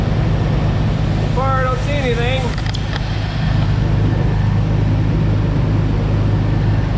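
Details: 2004 Jeep Wrangler TJ Rubicon after replacing the fuel rail heat shield, the six injectors and their o-rings, started to check for fuel rail leaks: a steady, even low rumble with no misses, knocks or ticks; normal idle.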